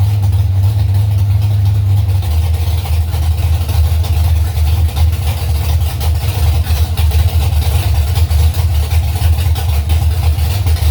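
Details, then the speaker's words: Carbureted drag car being tested after carburetor adjustments meant to cure a stumble when staging. After flashing the torque converter a few times, the engine hangs at a loud, deep, steady high idle while warming up. Owner plans half a turn out on all four corners. "after i flashed the converter those few times got out the throttle it wanted to idle really high so it's warming up now idle's coming up"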